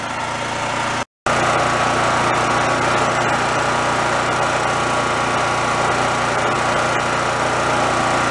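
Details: Roadside-found mid-size Chinese knockoff generator on the bench, warming up for about five minutes before frequency tweaking: steady, even small-engine drone with a slightly uneven beat and no knocks or misses; running fine.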